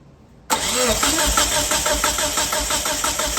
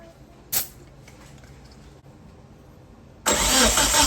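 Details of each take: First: 1997 Mitsubishi Eclipse GSX cranking during compression test with fuel unplugged to clear fuel: starter spins engine in steady, even chug about three beats a second, never fires; spark plugs look new. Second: 1997 Mitsubishi Eclipse GSX compression test cranking: even, steady chuff about three beats a second, every stroke alike; readings around 170–180 psi, healthy, balanced compression; engine has no spark.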